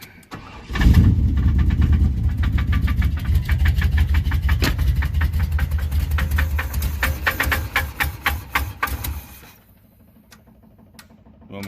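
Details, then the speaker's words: Big-block Chevy engine swapped into an OBS truck, just started after cranking with exhaust hung: steady hard knock at idle, quickening with revs; owner judges it rod knock, not a lifter, pushrod or rocker, unconfirmed. "It's not a bent push rod. It's not a out of adjustment rocker arm. That is a good old-fashioned rod knocke"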